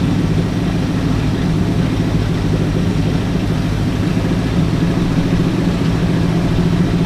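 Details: Ford Galaxie with 289 or 302 V8 (uncertain), freshly started before timing and carburetor secondary adjustment: deep, steady rumble well above normal idle, even firing, no misses; fast idle, suspected from timing, not confirmed.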